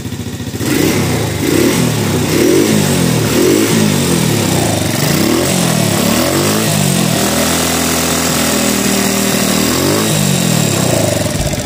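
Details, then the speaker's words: Honda Revo motorcycle after repair of worn camshaft (noken as) that stopped it revving: engine now blips up and down freely, oil flowing, valve clearance still loose and ticking; normal revving restored. "Oke, mesin udah aman ya. Motor udah mau digas, karena permasalahannya itu di noken asnya yang aus."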